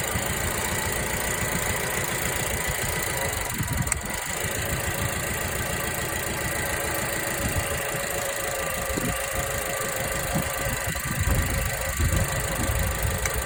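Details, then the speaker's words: 2009 Suzuki SX4 2.0L gasoline, 409,000 km, idling and blipped: rough, uneven idle with irregular stumbles as a cylinder drops out; misfire isolated by drop test, spark plug suspected, not confirmed. "let me open the throttle and I'll miss fire yeah you can see there"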